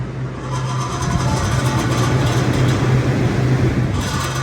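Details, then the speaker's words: Rooftop dairy-box condenser unit fan motor running: rough rattling hum with rapid chatter; worn bearings let the shaft rattle, the shaft feels tight and hangs up, so the motor is to be replaced. "it sounds like the fan blades going out that's I'm going to try to narrow that down a little bit better because those are bearings the shaft is rattling around in that motor so that is telling me that that is my motor"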